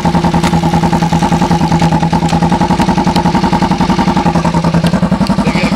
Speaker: motor sounds good I don't really hear me knocking banging and tapping and going on in there so that's always nice to hear